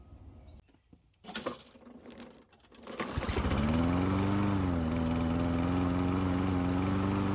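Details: Toro Recycler push mower that ran only on starting fluid, after carburetor jet cleaned with brake cleaner: catches and settles into a steady, even run at constant speed with no misses or surging.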